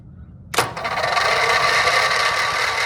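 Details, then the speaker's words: Briggs & Stratton 670cc vertical-shaft engine on a go-kart project, long unrun: electric starter cranks it with spark plugs removed, even light whir without compression pulses, run briefly to get oil flowing and loosen it before plugs go back in. "I think we should remove the spark plugs and hopefully hopefully the lack of compression will then allow it to spin more freely maybe loosen everything up"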